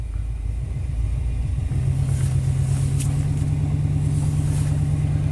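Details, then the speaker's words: 1991 Chevy K1500 V8 at cold start in open loop with aftermarket headers: deep V8 rumble with uneven, lumpy beat, running rough and seemingly down on power; cause not yet found. "Cold start, everything's hooked up. I mean, even right now in open loop, it's kind of running rough."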